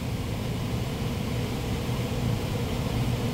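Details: PSC blower motor replacing an ECM motor, wired with relay and capacitor, thermostat bypassed for test, rated FLA 3.1: steady even airflow rush over low motor hum, no rubbing, ticking or wobble; rotation correct, normal operation.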